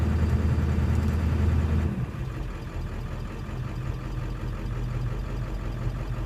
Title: Rough Idle